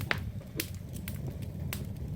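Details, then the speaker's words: Jetmaster damp-down fireplace freshly lit with paper and kindling: sharp irregular pops and crackles over a low fire roar, showing a steady burn with the flue drawing properly. "But as you can hear the crackling, that's what we're always aiming for, the crackling."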